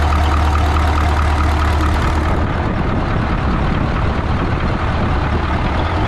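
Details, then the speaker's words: 1980 Peterbilt 359, Cat 3408 diesel revived after years sitting, restarted: deep steady rumble settling into an even idle, no misses or knocks; fired right back up. Normal idle. "Oh shit. Oh man, I can't believe that fired up. I didn't think it was gonna start."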